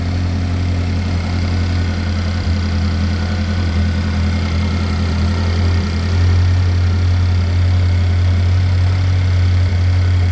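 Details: Chevy Equinox after an engine replacement, first start-up: deep, even hum at steady idle, no knocks, misses or ticks. Engine sounds healthy; some smoke is blamed on stuff on the hot engine.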